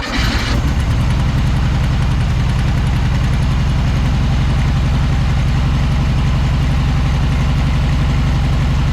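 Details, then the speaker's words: 1976 Volkswagen Beetle with '40 Ford kit, sat for years, now running from the carburetor after fixing fuel pump sucking air at a hose; catches after brief crank and settles to an even, steady low putter, no misses or knocks, normal idle. "he's got to be running from the carburetor now look at there good lord what a volkswagen with four tail wipes"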